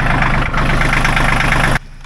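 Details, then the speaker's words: John Deere 1050 diesel tractor idling after glow-plug preheat, once a loose connection was fixed and left running: steady, even idle with a smooth low rumble and no misses or knocks; engine running healthy. "so while that thing's running I'm gonna let it sit and run for a bit"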